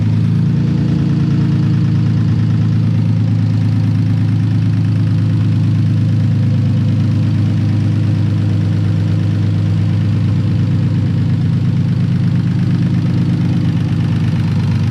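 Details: Nissan 240SX S13 with swapped VQ35DE refreshed with new bearings, gaskets, rings and seals; makeshift cap on plenum purge port; low, steady open-header rumble, even pulses, no misses or hunting, then shut off; normal idle.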